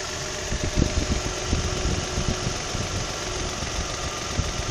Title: 2003 Nissan 300GT engine knock/slap only when warm around 2k RPM